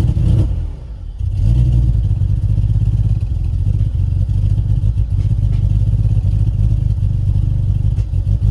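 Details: BMW E46 with a misfire, started after the throttle body was removed, cleaned and refitted: catches after a brief stumble then holds a lumpy uneven beat with irregular dips; still rough running, stuck throttle body suspected, new one to be fitted.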